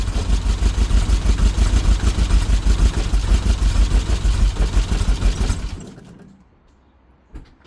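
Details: 1991 Subaru EJ22 flat-four on first start after rebuild: lumpy, uneven idle with missing beats, then it shuts off. Misfire, owner suspects timing belt misaligned by one tooth.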